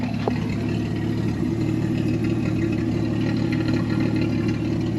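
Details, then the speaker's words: 1965 Ford Mustang with straight-six engine, single soft exhaust, new spark plug wires; soft steady low rumble, even beat, no knocks or misses; healthy idle. "Voilà, ça tourne bien, ça pète bien. Et ce et ce bon vieux 6 cylindres indestructible fonctionne lui aussi très très bien."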